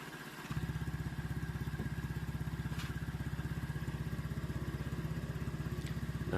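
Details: Honda Vario/PCX-type 125/150 scooter engine just reassembled, radiator checked for circulation, racing exhaust (loud): steady even single-cylinder idle, regular pulses, no knocks or misses; engine now smooth, normal idle.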